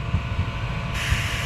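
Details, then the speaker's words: Mazda 3 1.6 with cylinder head removed, low compression and vibration complaint; air-pressure leak test of valves: steady hiss of air escaping past intake valve, cylinders 1–3 leak at both intake and exhaust valves, only number 4 sealed after lapping. "Pero mapa exhaust valve mapa intake valve sa 12 3 Ano po may singaw lahat"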